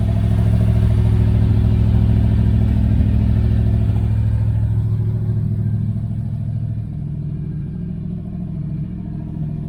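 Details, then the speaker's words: 1978 Dodge Aspen R/T V8 with a newly installed exhaust system: a deep, very loud rumble with a steady pulse that eases as revs drop. The exhaust is probably leaking up front, and more welding is still needed. "but they are pretty loud. I got a little bit more welding to do. It's probably leaking up front."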